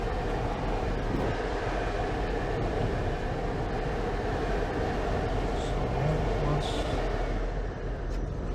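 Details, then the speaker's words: 2022 Jeep High Tide (3.6L V6, 8-speed, 35-inch tires) at highway speed: steady roar with a faint whistle, possibly from the sides; ordinary hard-top wind noise, much better than before. "That is a lot better than what it used to be. What you're hearing is just hard top noise."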